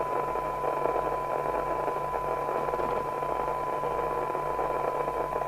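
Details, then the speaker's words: 1981 LCL Communicators NI440DX CB27/81 UK FM CB radio after realignment, sensitivity measured at 0.38 microvolts. With RF gain at full and the signal generator at about 0.3 to 0.2 microvolts, a faint clean test tone sits just above a steady soft hiss. More sensitive but noisier than the Shogun. "So, although this is more sensitive than yesterday's Shogun, it's noisier."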